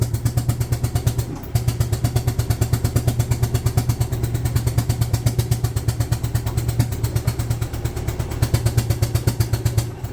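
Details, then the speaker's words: 2008 Yamaha Drive G29 gas golf cart, running on choke while reversing up a ramp: low heavy chugging pulses about three a second, bogging under load; weak and short of power, carb suspected. "Yeah, it's not gonna go up in battery mode. Go, buddy, go!"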